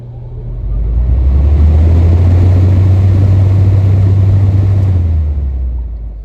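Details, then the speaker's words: 1977 GE Super Thrust window air conditioner, blower recently cleaned of heavy dust: low smooth hum swelling as the fan motor spins up, holding steady then easing off, no rubbing, ticking or grinding; normal fan motor startup. "Fan motor runs pretty well, so I'm going to go ahead and get you the startup sound from it."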